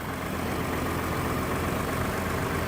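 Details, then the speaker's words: 2012 Ford F-150 EcoBoost 3.5 L twin turbo FX4, about 160,000 miles, stolen and recovered: steady, even low rumble at idle with no knocks, misses or whine; normal idle. "the steering wheel is straight that wheel looks straight to me Nick it purrs like a kitten man listen to"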